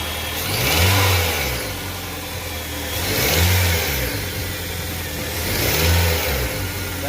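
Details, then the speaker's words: Gasoline engine revved after the worn A/C compressor noise was traced with the alternator belt removed and the belt refitted: three clean throttle blips, smooth rise and fall, no whine or rattle; the A/C compressor noise is gone. Normal revving. "más como ven ya no hay ese ruido que por cierto era del motor de la compresor de aire de aire acondicionado"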